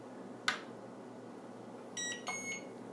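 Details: JJRC X9 Heron GPS drone at power-on: sharp click, then short high-pitched squealing tones about two seconds later as the gimbal motor starts calibrating, which it sometimes fails to do; normal gimbal calibration tone.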